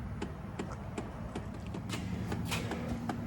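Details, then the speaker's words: 2012 Chevy Impala door with faulty window regulator replaced 3000 miles earlier: soft uneven tapping two to three times a second continues with key off and removed, electrical clicking inside door; separate unresolved issue. "that tapping is going to drive me crazy turn the key off take the key out and still tapping anyway that's another issue"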